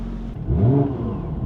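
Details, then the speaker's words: Porsche 996 911 Turbo, over 20 years old, after a stereo upgrade with a Kenwood amp: engine blips and falls back cleanly with no alternator-type whine following revs through the speakers, after the amp ground was moved to an unused ground point. "that might have fixed it I don't hear anything in here let me put the windows"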